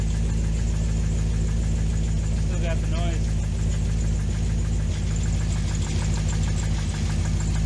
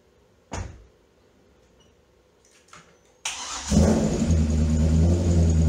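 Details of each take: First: 2005 C6 Corvette LS2, 108,000 miles, knocking complaint, after tightening a loose rocker bolt: light rapid ticking over deep steady idle rumble; noise persists, suspected bottom end, needing engine rebuild. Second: Early C6 Corvette LS2 V8 after codes cleared, with a previously not-fully-plugged coil causing misfire: fires up and revs with a steady, even beat and no stumble; normal running after misfire repair.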